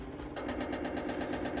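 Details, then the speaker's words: Bryant communicating variable-speed heat pump, control board powered with compressor unplugged after fuse replacement: fast even buzzing chatter as electronic expansion valve drives fully open and closed; normal homing. "all right so you hear that noise that's the uh eev so it drives it all the way open and all the way closed that way it knows what position it's in so that's a good sign"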